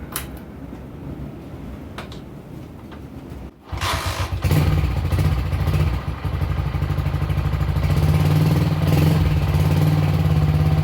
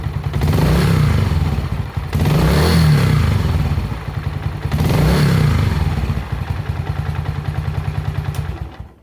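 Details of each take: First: Honda CG125 with high-throttle running problem, after replacing ignition control module and ignition coil (carburetor checked clean): single-cylinder fires up and revs with a slightly uneven, stuttering beat; owner thinks it may sound better, suspected ignition module fault. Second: Honda CG125 single with high-throttle running problem, blipped under timing light: revs rise and fall with even beat, but timing retards instead of advancing; pickup coil or generator coil suspected.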